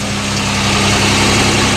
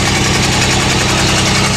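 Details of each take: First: GMC truck with sticky valves, running on six cylinders again after a pushrod was put back in: steady, even low idle with a smooth regular beat and no stumble or miss; normal idle. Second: GMC truck with sticky valves, idling after about an hour of freeing stuck valves, one still stuck: loud lumpy idle with uneven low pulse and a stumble each cycle; dead cylinder, running on five.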